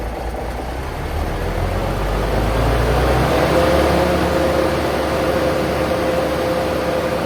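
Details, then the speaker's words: Paystar truck diesel just restarted after radiator reassembly with new gaskets, idling while building air (about 70 psi): picks up slightly then settles to steady even idle, no knocking, no leaks; normal idle. "building up air. It's got about 70 lbs in it so far, but uh it's it's running beautifully. It's not leaking."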